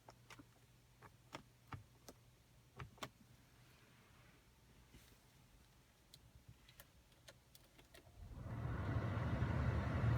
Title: 2015 Camry buzzing noise when attempting to start engine